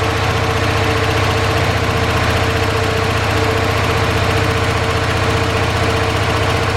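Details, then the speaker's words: 1978 Dodge D150 after fixing top-end lifter tick following cam and head swap (new lifters): even, steady idle with smooth rhythm, only a faint light tick left, believed from the exhaust; normal idle. "Well, doesn't that sound a lot better, eh? I had a tiny little ticky from the exhaust, I believe. But boy, it sounds a heck of a lot nicer."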